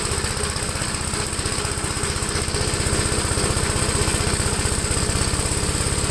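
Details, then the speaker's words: 1973 Gravely C8 single-cylinder tractor mowing with PTO-driven deck, transmission in high gear: loud chugging about three beats a second, laboured and strained, bogging under load; it overheated and failed the mowing test, with governor suspected. "not happy at all with this it's not good let me see what's going out this governor business okay so this tractor is not a complete failure at least we got it to start up but it definitely failed the mowing test"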